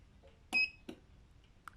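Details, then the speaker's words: E1600T robotic lawn mower motor under test: a few sharp clicks as it is switched on, then near silence with no spin-up; the motor engages but does not turn. "on entend bien que ça enclenche mais le moteur tourne pas"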